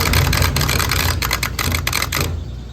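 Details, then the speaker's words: Electro Freeze soft-serve machine on a food truck, 3-phase, phasing confirmed correct: on clean mode one barrel gives rapid irregular clunking clatter for about two seconds then cuts out; technician suspects contactor 8M chattering. "When I put it on clean, that clunk clunk until it hits its rotations. Wait. Whoa, that's no. That could be a contactor chattering."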